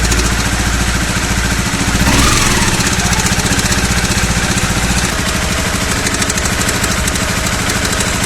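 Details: Honda CBR250R with rattling that began the day before: fast light ticking over the idle that quickens with throttle. Caused by a worn cam chain tensioner, a common CBR250R issue, fixed by replacing the tensioner.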